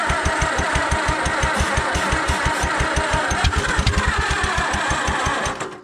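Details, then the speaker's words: Allis Chalmers WD tractor after in-frame engine reman, magneto reassembled, old plug wires, carburetor wide open, battery weakening: slow steady starter churn about three beats a second with a few irregular pops, nearly catching. "yeah did you hear it run it kind of popped it kind of popped that means something close it's pretty close even with those crappy old plug wires"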